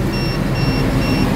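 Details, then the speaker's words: Electric knapsack sprayer with weak spray: a high, steady beep repeats about twice a second over a low pump hum, the low-battery warning sounding despite a fresh charge; the battery is worn out. "Namun, ada indikator semacam ini. Bunyinya terus berbunyi. Ini sebenarnya indikator baterai lemah , tetapi baru saja diisi daya. Ini berarti baterai sudah habis ."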